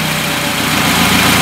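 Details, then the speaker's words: Carbureted car on second-generation LPG system during reducer diaphragm adjustment: heavy, slightly lumpy idle with hissy edge, gas smell as the reducer floods in too much LPG; rich mixture on LPG. "взять заливает газа уже сильно много даже попить начинает сразу же"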